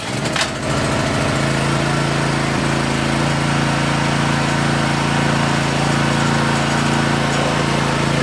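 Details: DeWalt pressure washer single-cylinder engine transplanted onto a Scotts rotor tiller, first run after the swap; catches and settles into a fast, steady, even drone with no knocks or misses, running healthy.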